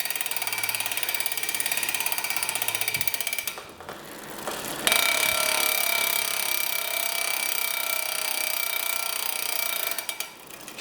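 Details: Giant Liv Avail Pro 0 Di2 rear derailleur after adjustment (ended at 17 instead of 18), shifted via the phone app: crisp clicks, chain whirs smoothly onto each cog, no skipping; normal shifting.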